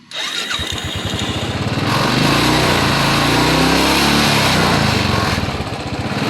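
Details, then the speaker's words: Royal Enfield Bullet that misfired after rainwater got into the fuel tank and carburettor, after draining the water: quick start then even, steady idle thump with no skipped beats; misfire gone, normal idle. "ആ ഒരു പ്രശ്നം solve ആയി അപ്പൊ ഇങ്ങനെ ഇത് കണ്ടോ ഒരു പ്രശ്നവുമില്ല സ്റ്റാർട്ടിങ് ലൈവ് മിസ്സിങ് പോയി"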